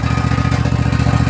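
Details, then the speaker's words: Husqvarna 254 zero-turn mower, dead a year in a creek bed, first start with gas and choke: single-cylinder thump at idle with a loose metallic rattle on each pulse; suspected loose muffler heat shield, not mechanical failure. "Something's rattling. But pretty bad rattle. I don't know what that rattle is. A muffler shield or something. Doesn't sound like a mechanical failure. Just sounds like something loose."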